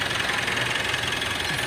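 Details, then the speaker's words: Mitsubishi All New Pajero Sport diesel: abnormal fast buzzy rattle when revved to 2000 rpm and throttle released. Turbo was suspected but its turbine checked fine; the noise vanished with the fan belt off. Worn alternator pulley bearing. "jadi waktu kendaraan dilakukan RPM qqserasi sampai 2000 RPM dan dilepas gas itu muncul suara derik ya abnormal suaranya getaran di Turbo"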